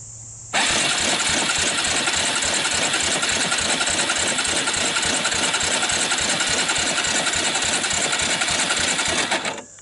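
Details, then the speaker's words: 1999 Suzuki Quad Runner LT 160 ATV dry compression test: quick, light, even cranking without firing, reading only 60 (psi); wet test with oil in the cylinder to follow. "that's a dry compression check it came in at 60 I'm going to follow up with a wet compression check just to see how she's doing"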